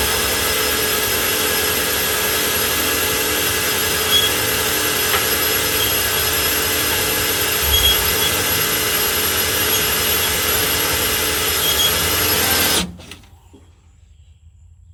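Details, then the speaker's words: Trailer gearbox driven by a drill, lifting an empty trailer: an even, steady drill whine with a constant gear hum under load that slows slightly, then stops cleanly. It is a replacement unit and the gearbox sounds healthy. "You can hear it starting to slow down. So, we don't want to put too much tension on it."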